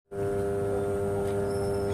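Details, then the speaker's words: 33/11 kV power transformer energized: steady even low hum at constant pitch, nothing rough or crackling; normal humming of a healthy high-voltage power transformer. "इसकी आवाज़ जो है जिसे हम हमिंग कहते हैं, तो ये हाई वोल्टेज पर जो ट्रांसफार्मर कार्य करते हैं, पावर ट्रांसफार्मर, वो ऐसी ही आवाज़ करते हैं।"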